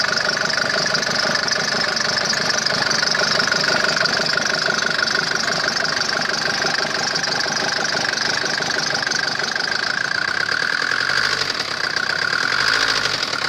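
A steady diesel idle with a dull, uneven knock repeating about twice a second over the clatter; a knock whose source isn't pinned down.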